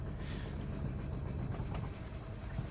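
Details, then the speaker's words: 2011 Renault Sandero idling very low with no power on acceleration: lumpy, irregular, shaking idle rumble with no steady rhythm. The engine is misfiring badly; diagnosis is pending. "and it's Miss very badly in the engine as you can see it's shaking"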